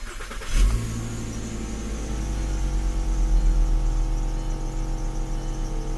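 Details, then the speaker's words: 2006-2010 VW Jetta after no-weld exhaust flex pipe replacement, previously sounded terrible: cranks, catches quickly, steady even idle with no hiss, puffing or rasp; leaks not yet checked. "it sounds pretty good I mean it was sounded terrible so if there's any if I have any issues I'll let you guys know"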